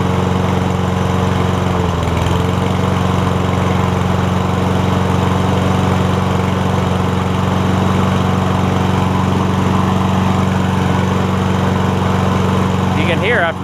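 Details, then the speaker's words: Toro Recycler mower with Kohler engine after carburetor jet cleared to cure surging, plus pull rope, belt and cable work; brief flutter at start then steady, even run with no hunting or surging; runs great, self-propel strong. "the RPMs get situated it runs great self-peld it feels very strong"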